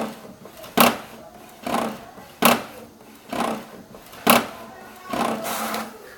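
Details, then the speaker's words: HP 7612 printer making a strange noise only when printing A3 sheets, print output still normal: about once a second the carriage gives a sharp rasping burst between quieter sweeps; abnormal printing noise, cause undetermined. "imprimiu aqui a folha 3 E tá com essa zoada, esse barulho que eu não sei dizer o que é."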